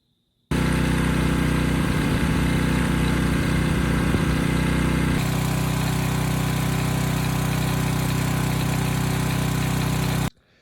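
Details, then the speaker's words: Reference clip of a healthy Briggs & Stratton single-cylinder engine, not the generator under repair: steady, even chug at fixed governed speed, no knocks or misses. "i'll throw a couple clips up right now of a healthy engine and what it sounds like"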